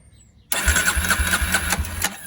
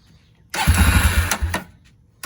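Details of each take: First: Barn-find Polaris Predator 500 quad on a jump box with starting fluid, third attempt: about 1.5 s of quick rhythmic cranking pulses with a faint catch, then silence; engine coughs but doesn't start yet. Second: Barn-find Polaris Predator 500 quad on jump box and starting fluid: fires and runs in bursts with a quick uneven putter, pausing between catches, then sounds clean once it picks up; normal running.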